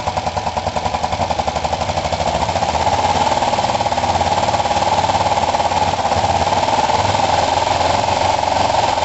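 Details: Kawasaki ER5 twin after setting valve clearances and fitting second-hand coils: uneven, stumbling idle with lopsided pulses, running as badly as before and liking some choke; misfire, owner suspects the already-cleaned carburettors.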